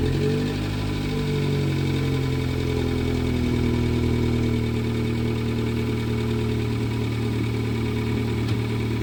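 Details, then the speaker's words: Rare prototype Yugo with Toyota 1.0 VVT-i engine, barn find first started after about four to five months: smooth, steady low idle holding speed evenly, no knocks or rattles; starts and runs excellently. "Da, navikli smo da čujemo onaj DMB-ov zvuk. Pali. Odlično radi."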